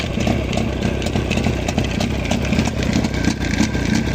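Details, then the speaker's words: Jawa 638 two-stroke motorcycle idling with a loose, irregular rattling clatter from the clutch side, as if the chain hits the left crankcase cover; fitting a chain damper did not cure it, so the cause is still unknown. "был такой звук звук бряканье ощущение такое что цепь бьётся об крышку левый крышку картера"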